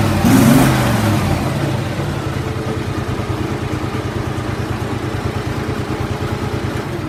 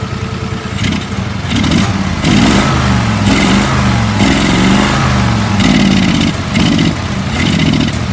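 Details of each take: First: Mudding mower engine running after carb cleaned again and fresh gas added; starts and settles quickly into an even, regular single-cylinder beat with no misses or knocks, normal running. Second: Mower engine in a mudding mower; revs rise and sag about once a second when throttle is opened; carburetor needs recleaning of trash and fresh fuel; bogging under throttle.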